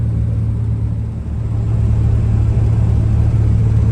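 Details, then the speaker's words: 1968 GMC truck with factory big block V6 (351), revived and on fresh gas, cruising on the road: low steady rumble with even pulse and no misses or knocks, running smoother and smoother. "Oh, girl's just purring along now. It's running smoother and smoother."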